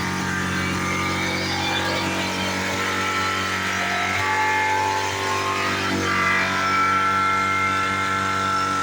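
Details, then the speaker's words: 2010 Chevy Colorado's original engine, worn and leaking oil, pinned to the floor at wide-open throttle before an LS swap; steady high-pitched scream that refuses to die, a worn engine at full throttle. "This thing just won't die. This thing will not die. Oh my god. That's to the floor though. That's to the floor."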